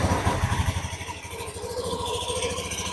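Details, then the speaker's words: Honda Beat Pop scooter just started: a coarse, uneven low rattle and rumble from inside the CVT cover, suspected rough CVT clutch. "Itu suara berderak, kawan-kawan. Suaranya jernih, kan? Suara gemuruh yang kasar ."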